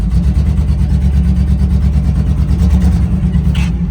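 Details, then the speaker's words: Old Chevy square-body barn-find after sitting for years, first drive in drive gear: heavy rumble surging unevenly with irregular pops, backfiring; owner suspects fuel starvation, fuel system issues, probably needs tune-up. "Oh, it's starving for fuel a little bit. Needs a good run, for sure. Yeah, we're not getting very much fuel up there right now. It's backfiring."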